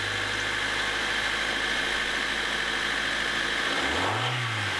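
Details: 2000 Honda HR-V with 1.6 VTEC D16W engine, started just after replacing a squeaking power steering belt with a new Gates 4PK845 belt: smooth, even idle with no chirp or squeal; the belt runs quietly.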